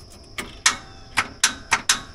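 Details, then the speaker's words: Tractor starter: sharp dry clicks at uneven intervals with no cranking; battery connections tight, but a corroded positive cable at the starter gives a bad connection, low battery less likely. "all right just click can you hear that usually that means they got a bad connection we got a low battery but probably a bad connection"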